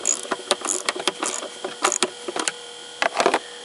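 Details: Car windshield wiper motor and linkage after loosening the bolt and inserting metal shim plates to stop a metallic clop: quick clicks and whirring bursts with no knocking or grinding; normal wiper operation.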